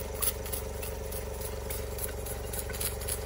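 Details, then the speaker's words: Mamod SP2 model steam engine run on compressed air after oiling, boiler emptied: quick puffing beat about four a second over a steady hiss with rattly, uneven strokes; running poorly, not happy. "so let's go here we are it's not happy but it's working"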